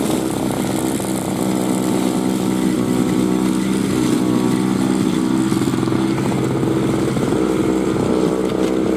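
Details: 2003 Murray single-stage two-stroke snow blower, first run in 5 years, working through snow: a steady, busy buzz holding an even pitch with no misses or surging; normal running under load.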